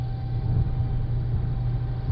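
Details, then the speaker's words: 2008 Saturn Astra XR hatchback at 55–60 mph and above: heavy low road rumble with a thin steady whistle/howl, tone shifts with speed and is worse in wind; taping roof-rack holes and windshield hole didn't help; source unknown. "it's only until you get up to 55 60 is or higher sometimes it's a really high pitch Hollow sometimes it's a uh lower tone lower tone"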